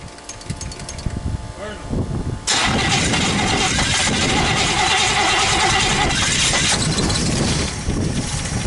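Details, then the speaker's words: 1964 Buick Skylark V8 after sitting neglected about 6 months, with electric fuel pump on: it starts after a few pedal pumps and a few seconds of cranking, then settles to a steady idle to warm up. Normal start. "Just a few pumps and she's fired up. Let it sit idle, warm up a little bit and just see how it does."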